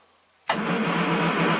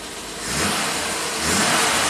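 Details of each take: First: 1967 Triumph GT6 parked since 1999, twin Stromberg carbs fed fresh ethanol-free gas, full choke plus starting fluid: starter spins with steady churning whir but never catches or coughs; cranks but no start. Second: 1967 Triumph GT6 parked since 1999, twin Stromberg carbs on fresh ethanol-free gas, slightly warmed with a little choke. Revs briefly then settles to a steady, even idle, no misses or hunting; healthy idle though some smoke and not charging.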